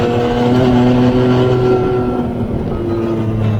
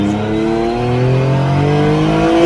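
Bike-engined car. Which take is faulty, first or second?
second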